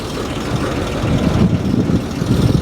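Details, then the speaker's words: Abandoned 1949 Dodge truck's old six, left decades in the desert, first start after pulling the heads in the field with no new parts: low, smooth, even idle with a steady deep rumble, belts off and no cooling; no taps or knocks, runs sweet. "she idles good look at how sweet that is I don't hear no noises"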